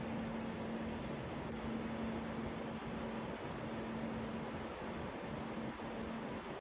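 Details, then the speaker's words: New Croma-bought split AC indoor unit, which made loud "far far" noise and stopped cooling after 10 days, after blower replacement: steady even airflow rush, faint low hum, no flapping or rubbing. Normal running, fixed. "तो देख सकते हो इन्होंने AC लगा दिया है पूरा, और अब जो ब्लोअर लग गया है ठीक हो गया।"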